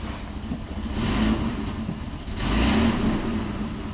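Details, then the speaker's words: 1998 Mitsubishi Montero Sport V6, very sluggish acceleration, mass airflow only about 60 g/s, catalytic converter ruled out: runs poorly, revs rising slowly and flat with no crisp pickup. Retarded ignition timing. "start it up [Music] man it's really not happy 500 rpm"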